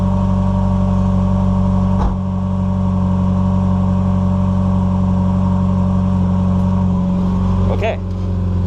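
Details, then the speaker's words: NA Mazda Miata after adjusting the air flowmeter (AFM): steady, even idle with a smooth low hum, revs holding without fluctuating or hunting; normal idle, though throttle still slightly boggy. "okay okay staying still revs are about there it's not fluctuating"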